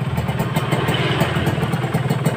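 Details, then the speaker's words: Kawasaki Ninja RR two-stroke after engine rebuild and clearing blocked cooling passages, previously rough and sluggish: crisp, even idle with a steady beat and no rattle or knock underneath. "mantap tidak ada suara sama sekali kan"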